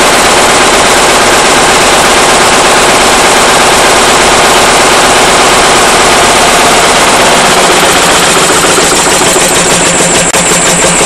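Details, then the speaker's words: Powerline Lister single-cylinder diesel after fuel system drained and fresh fuel added: loud, hard, uneven banging about 200 a minute with stumbling beats, rough from startup; fuel line ruled out, owner suspects injector pump or injector. "I don't know it's not any better matter of fact it's worse used to start smooth and run rough and now it pretty much just runs as you see pretty rough right from the get-go"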